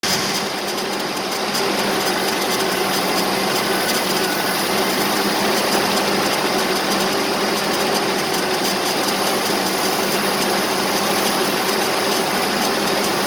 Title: 1984 Nissan 720 4x4 with rough idle.